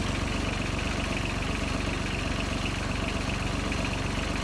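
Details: John Deere 755 compact tractor with a freshly rebuilt Yanmar 3TN diesel and new injectors, first start after the shut-off solenoid was tied back: even idle knock at about 158 beats per minute with loose-shield rattle on top. Normal idle.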